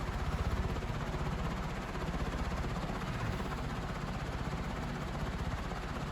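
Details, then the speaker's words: Emerson Stratojet model 1152 industrial ceiling fan with curved plastic blades, running at speed; tach readings of 961–1030 were taken as about 1,000, estimated around 330 RPM. A steady rushing of air with a soft even beat and no rubbing or ticking; normal running. "So let's just go with 1,000 and say it's like 330, which seems about right, honestly. Yeah, you're right. That's like at over 300 RPM."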